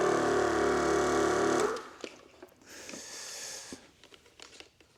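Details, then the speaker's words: Air ride compressor for a 1953 Ford F100, bench-tested on a rig before mounting, checking for leaks: switch clicks and compressor comes on with an even buzzing drone and steady pulse, stopping abruptly after 1.5 seconds; normal run. "And then the switch should switch, there we go. Now the compressor comes on."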